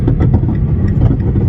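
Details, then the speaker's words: Driving on a rough road with dull, uneven knocking over low road rumble from worn sway bar links; the car rides bouncy on its springs with practically nonexistent struts. "do you hear the knocking do you hear that those are link Bars by the way in case you didn't know"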